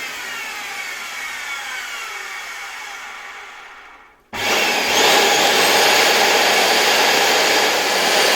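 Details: Original motor of an LG V-3340D vacuum cleaner, which had started running loudly, run on a bench supply as voltage is raised: a high whir winds down, then returns as a harsh, rough roar. The motor is noisy; the owner suspects a damaged bearing.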